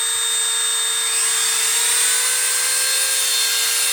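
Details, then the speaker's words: Sears Craftsman variable-speed rotary tool (5,000–30,000 RPM) run alongside a Dremel, which sounds faster: high-speed motor whine holding a steady pure pitch, no grinding or rattle; normal running. "It's variable speed though. 5,000 to 30,000 RPM. And then there's this Dremel, which is just that. You can hear that this one's faster."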